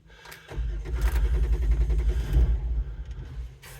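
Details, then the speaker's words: 2007 Jeep Wrangler JKU that won't start unless both front seats are occupied. With about 80-100 lb of bricks on the seat, it cranks, fires into a ragged two-second rumble, then dies. "not quite almost it kind of starts and then doesn't complete going get complete going"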